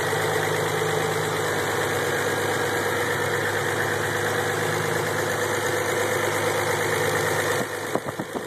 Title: 3 no noise after start up idle